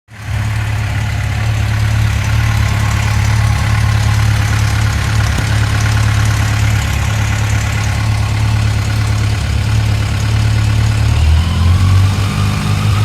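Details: 2006 Yamaha FJR1300 at warm idle: a light, fast tick riding over an even low rumble that appears only after the engine warms up. The source of the ticking is not identified.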